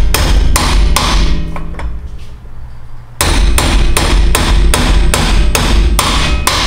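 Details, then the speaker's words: Dirtbike wheel bearing being hammered into the hub with a flat bearing driver: steady blows two or three a second, a pause, then a sharper, solid ring as the bearing bottoms out, fully seated. "hear that change? That's it bottoming out where it needs to go."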